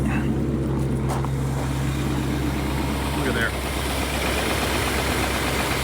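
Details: 1967 Rolls-Royce Silver Shadow V8 cold start at about 35°F on a chilly morning after storage, harder than usual to start; low, even rumble holding steady with no misses or knocks, settling into a normal cold idle.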